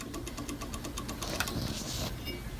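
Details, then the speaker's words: Walker Turner Model 1216-42 15-inch floor drill press motor, from an old unheated barn: low hum with fast, regular rattling tick from a worn motor bearing, likely the rear one, probably to be replaced. "Also, I didn't really cover this before. You can hear some bearing noise."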